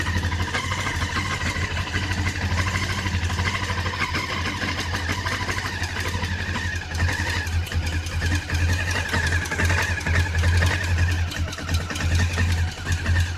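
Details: Honda CB500 twin idling cold: busy mechanical clatter over the exhaust beat; abnormal cold-engine noise, cause not pinned down.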